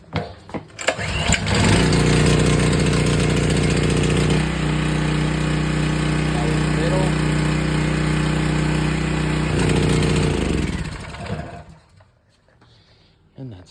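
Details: Sportsman 4000W dual-fuel generator started with choke closed and power switch on: a short pull, it catches quickly and settles into a steady, even drone, then winds down at shutdown; normal start.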